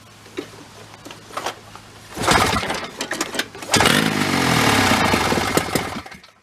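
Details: Snowmobile 440 two-stroke in an old golf cart, revived after sitting, gravity-fed from an external fuel tank: catches, runs ragged, surges and stumbles, then dies; low compression.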